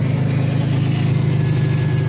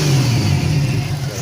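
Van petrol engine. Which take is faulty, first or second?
second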